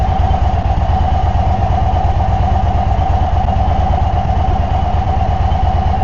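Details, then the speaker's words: 2024 Indian Sport Chief V-twin after a Stage 1 air intake install: an even, loping potato-beat idle that fires steadily with no misses or mechanical clatter. Normal idle. "throwing a little more fuel in there. I can smell it. The big thing, you can hear it."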